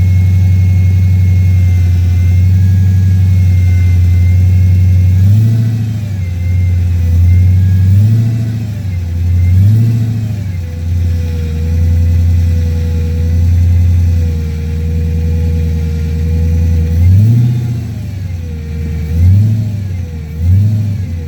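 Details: 2006 Dodge Magnum SRT8 V8 idling and blipped several times, with a thin whine over the engine that rises with revs; cause unknown.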